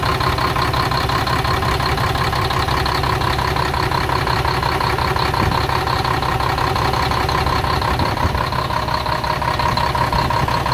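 Deep, steady diesel clatter at an even idle, about two beats a second with no misses or knocks; engine sounds healthy.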